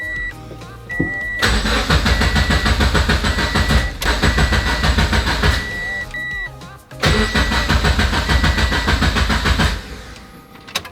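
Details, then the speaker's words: Turbo Subaru BRZ before first start, crank position sensor unplugged and injector and fuel pump fuses pulled to build oil pressure: three steady spells of rhythmic starter churning with a dash chime between; spins evenly, never fires; normal cranking. "so i've got the crank position sensor disconnected i've got the injector and fuel pump fuses pulled so that way they're not going to be trying to shoot fuel into the cylinders and uh we need to build oil pressure"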